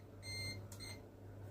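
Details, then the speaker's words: Asus M5A78L-M desktop PC with the CPU at about 60°C: a sustained high beep then a shorter one over a low fan hum; the board's CPU over-temperature alarm. "I stopped it. I don't want to hear that beeping all the time. I can see what's going on with the temperature, so I'm watching it anyway."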